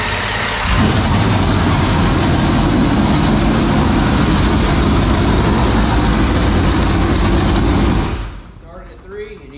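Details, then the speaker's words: 465 ci V8 race engine started for the first time in three years: loud, rough, lumpy run of about eight seconds, then an abrupt cutoff once the pumped-in fuel is used up. Fuel starvation; the pump or its drive shaft is suspected. "basically all it did was use up the fuel that we had pumped in there"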